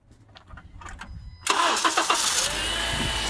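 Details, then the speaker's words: 2010 Honda Accord 2.4 that would not crank despite a new battery and alternator, after fixing the bad engine ground near the transmission mount: brief quiet cranking, then it catches at once and settles into a steady, even idle. Normal start after repair. "And there it goes. So that was the problem. The problem uh has been fixed. The engine is up and running. This engine is running so smoothly by the way."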